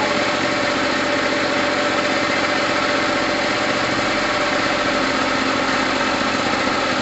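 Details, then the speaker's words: Gilera DNA 125 two-stroke after sitting a while, with a lot of two-stroke oil in the petrol (red fuel): a crisp, buzzy, steady fast beat with no missing or sputtering. Normal running. "all right guys that sounds amazing i've got a lot of two-stroke oil in there the petrol is literally red"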